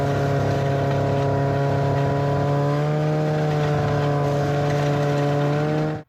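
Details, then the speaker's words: 1991 Arctic Cat Prowler 440 liquid-cooled two-stroke twin-carb snowmobile, revived after 4 years' storage (had been missing, traced to coil issue): steady even buzzing idle, no misses, brief throttle blip; running flawlessly. "right so we put about an hour on her and she's performed flawlessly so we got a few little things to do to her yet but for now we'll call it good and she's running and driving really well"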